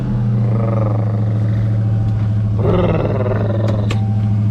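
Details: 2018 Dodge SRT at a dealer auction: deep even V8 rumble holding steady without misses or knocks; clean healthy cold idle.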